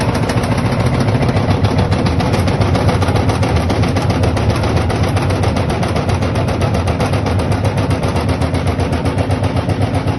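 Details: LG washing machine: rapid, rough rattle of about four knocks a second continuing steadily while the drum turns; cause not identified.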